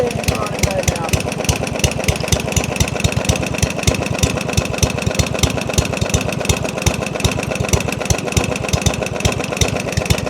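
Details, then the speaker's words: Yardman 139cc OHV 22-inch mower (compression 75), carb off/being worked on: single-cylinder putters at its slowest, very slow uneven idle, lazy irregular firing near stalling, slight knock heard; owner fears engine damaged after it shut off; very low idle speed. "This is the slowest it's ran. >> That's the slowest idle."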